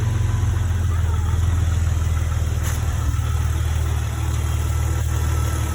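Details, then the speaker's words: 2004 Jeep Grand Cherokee 4.0 just after an oil and filter change, idling briefly to fill the filter before rechecking the dipstick; low, smooth, quiet idle with no knocks or ticking. Normal idle. "Quiet, sounds good."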